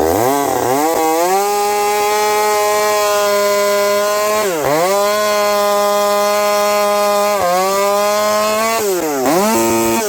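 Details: Husqvarna 372XP with a UFO pipe cutting frozen ash at about -30 to -40°C after a thorough warm-up, high jet leaned slightly. It pulls hard at a steady high pitch, recovering cleanly between cuts while four-stroking with a slight rich burble: healthy under load.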